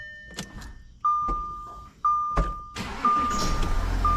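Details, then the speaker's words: 2014 Audi Q7 3.0L, dealer complaint of limp mode and power loss, would not start on old battery; after battery replacement, chimes then a short crank catches straight into a steady idle, a clean normal start. "so right there as you can hear the engine started so all is well"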